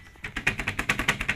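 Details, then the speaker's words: Mitsubishi L300 sliding door shaken, rapid hard clatter of about eight knocks a second, worst over bumps; worn-out side and top rubber weatherstrips let the door rattle. "lalo na agag yung mga merong mga lubak-lubak Ganito talaga yung tunog oh yan ganyan na ganyan talaga yung tunog masyadong maingay Yan ang dahilan po niyan itong dito yung sa gilid yan sa gilid yan Med na wala na lalonglalo na sa taas Wala na talaga"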